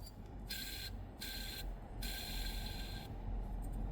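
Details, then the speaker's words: Alternator with worn brushes, off the vehicle and disassembled, rectifier normal; shaft spun by hand gives three bursts of dry, gritty rasping from a noisy worn bearing; repairable by rebuild rather than full replacement. "베어링 소음도 들리시나요? 브러시는 다 달았고 정료자는 정상이고 베어링에서 소음이 많이 나는 상태입니다."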